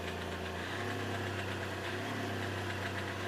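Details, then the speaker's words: Hyundai Xcent diesel, replacement engine marked 1.1/1.2 L: after throttle release a steady high hum holds with light clatter underneath, revs hanging instead of dropping; smoking, turbo and injector issues suspected, cause unclear. "एक बार भाई accelerator देते ना हम तो RPM इसका फंस रहा है देखो ये लो छोड़ दिया मैंने रेस ठीक है"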